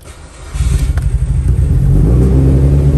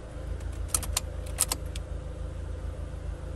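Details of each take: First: Car sitting unused a long time in cold Georgia weather, after many attempts: engine cranks, catches and climbs into a steady, even rumble as it warms, no misses or knocks; starts and runs. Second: Car with a suspected dead battery, third start attempt after jumping: key clicks, then a slow, uneven, labouring crank with a low rumble that never catches. Weak crank, no start.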